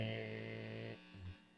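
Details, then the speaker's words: Minsine Tele-style guitar after polish and rewire, through amp: loud steady low buzzy hum that drops out abruptly, worse when touching strings; owner suspects grounding/shielding fault, possibly damaged volume pot or switch from his soldering. "if I'm not touching the strings, it's not as bad. If I'm touching the strings, it's worse. You can hardly hear the guitar over the static noise."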